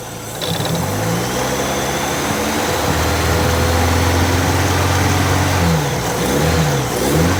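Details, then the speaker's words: Long-stored Ford Model A hot rod, first start with a loose flopping belt and something vibrating at idle: petrol engine idles and blips several times with an uneven mechanical clatter over the run; source unclear. "there some kind of mechanical noise I don't know what it is"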